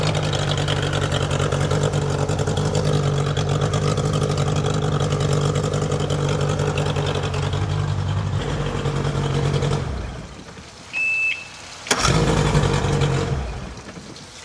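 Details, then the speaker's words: Outboard engine swapped onto a customer boat: even beat for several seconds, shuts off, then restarts instantly warm and settles steady; good hot restart. "Good hot restart. That's a runner."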